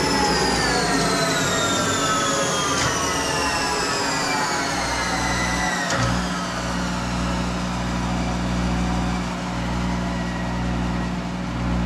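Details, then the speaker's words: Monarch 10EE lathe, warmed up, 4000 rpm electronic variable-speed drive being tuned, spindle cranked down to about 200 RPM: steady motor hum sliding down then holding smooth and even; normal low-speed running. "okay protection for us now or not smooth happy yeah that's great okay now I'm gonna crank it back to 200 RPM"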